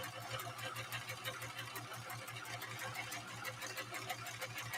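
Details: Sewing machine at first run after unboxing: steady, even whir with a soft regular tick about three times a second, no grinding or metal clatter; fairly good condition, though an odor comes from the motor at the rear.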